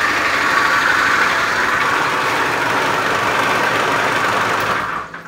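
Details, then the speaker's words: Honda Beat FI scooter at a workshop, complaint of rough engine and rough starter: harsh, fast clattering ("klotok-klotok") knock over the idle throughout. Rough engine noise, possibly a worn connecting rod. "supaya teman-teman bisa mendengarkan suara kasar yang ada pada motor Beat FI ini yang sedang mekanik bengkel kerjakan"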